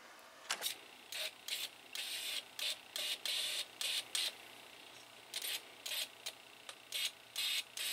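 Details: Toyota 22RE fuel injector bench-tested after cleaning and rebuild with new filter screen, O-rings, gaskets and pintle cap: quick, sharp, even hissing spray bursts with a light click at each pulse; it sprays properly.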